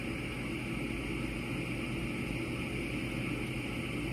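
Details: Gas furnace after a rollout switch trip: a steady inducer fan hum and low drone with no burner roar while it waits for the gas valve to light. Furnace not lighting after rollout switch trip.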